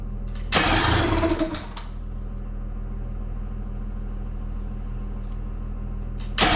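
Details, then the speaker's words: 18 hp Evinrude outboard in a water tank, carb just refitted, gear oil changed, sat two years: loud crank and catch into a buzzy, slightly uneven idle; rough running before adjusting the carb air screw, mixture suspected. "we're going to start it up and see if we can adjust the carb i need to adjust this air screw still so we're going to start that so you can get it running right"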